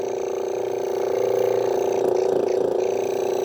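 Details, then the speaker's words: Vintage air pump switchable 12 V DC or AC, run on AC, hoses likely hardened: steady mid-pitched drone pulsing three to four per second, rising slightly as it warms; sluggish, tone changes at outlet, low air output, cause unconfirmed. "yeah well it runs sounded pretty sluggish I don't know where the actual air comes out so actually getting faster as it warms up oh there's the outlet there you can hear the tone change it's not really pumping much"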